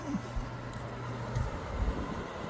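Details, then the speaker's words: Avalon Newport Bay pellet stove after new blower fan installed, started on low: quiet, steady low hum with no rattle or scraping; fan blowing, fixed and running normally. "Fan's blowing out. We're all fixed."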